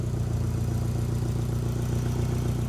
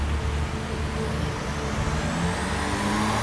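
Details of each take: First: Toyota MR2 after turbo upgrade, new ECU, water-to-air intercooler, coils, injectors and fuel system: steady idle with quick regular puffing tick over the low rumble; exhaust leak suspected from loose or ill-fitting joint, not confirmed. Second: Toyota MR2 on dyno with upgraded turbo, new ECU, water-to-air intercooler, new coils, injectors and fuel system, full-throttle power run making 132 kW: note rising smoothly and steadily through the revs with no stumbles; normal.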